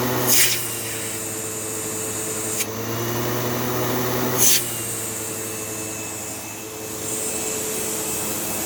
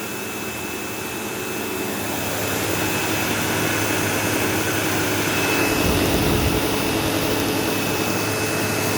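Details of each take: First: Sebo Automatic X5 vacuum with a half-full bag, using the hose: steady smooth motor hum with even airy rush and brief hose knocks; the suction motor sounds healthy with plenty of suction. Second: Sebo Automatic X5 upright vacuum on carpet: loud steady motor roar with a thin, constant high-pitched squeal like a slipping belt, though the brush roll has no belt. A brush roll problem is suspected.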